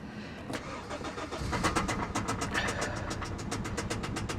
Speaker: whoo i don't feel like that noise is gonna go away no hey listen to that